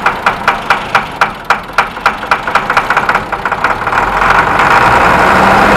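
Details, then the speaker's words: '99 International 4700 DT466E diesel, parked over 5 years and neglected, just started after fuel added: rapid even clatter about four beats a second settling to steady smooth idle, no misses or knocks; normal diesel idle. "there she is burning like a right kitten i know it's not a cat i love it"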